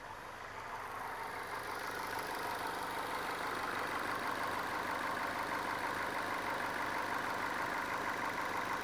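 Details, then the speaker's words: Used car inspection, hood open, engine just started: smooth, quiet, even idle with no ticking, knocking, exhaust leak or unusual noises; normal idle, runs fantastic. "So, you can hear there this thing's nice and quiet. It's not making any unusual noises."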